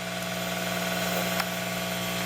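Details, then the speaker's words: Ya Xun 902+ hot air rework station at around 450 °C, airflow high: steady airy hiss over even low pump buzz, no rattles or surging; normal blower noise for this station. "porém ela faz esse barulho quando tá ó 4 50 graus lá já em candeias e sente a resistência ottey incandescente se você consegue ouvir esse é o barulho linda saindo e aqui ó barulho dela"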